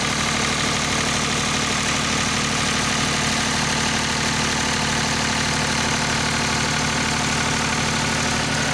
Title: স্মুথ রানিং ডিজেল জেনারেটর | Engine Sound. Test#GeneratorRunning #DieselGenerator #PowerBackup